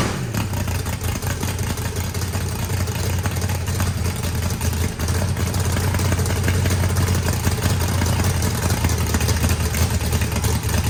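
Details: Freshly built turbocharged 409ci small block Chevy V8, added compression, first start: deep even rumble with lumpy cam idle under light revving, no knocks or rattles; healthy, normal.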